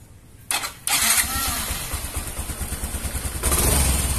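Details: Yamaha Mio M3 125 scooter with earlier hesitation complaint, injector previously replaced: starter whirs, engine catches quickly and settles to an even idle of about three beats a second; running normally again.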